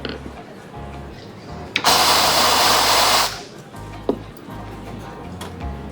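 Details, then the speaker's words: Espresso machine with steam boiler pressurestat reset to 1 bar: steam wand flush gives a loud hiss of about a second and a half over a low steady hum as the boiler heats and cuts out; working normally. "Okay, I can hear the boiler kicking in and the boiler is stopped."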